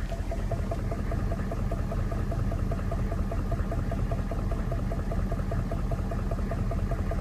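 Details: 1994 Chevy Silverado C1500 6.5 turbo-diesel V8 idling with a quick, steady knock repeating several times a second over the rumble; microphone at the spot where the knock is loudest.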